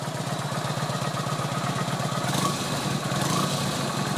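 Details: Kawasaki VN900 Classic V-twin after charging-system work, during regulator test: steady loping idle about four beats a second, no knocks or rattles; 13-14 volts measured, alternator and regulator charge fine; normal idle.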